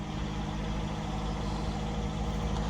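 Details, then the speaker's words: 2018 Jeep Compass Latitude, light-damage rebuild, after first start: steady, even low rumble at idle with no knocks, misses or whine, and a very quiet exhaust; normal idle. "it's uh sounding very nice let's step outside maybe we can hear the exhaust super quiet super quiet"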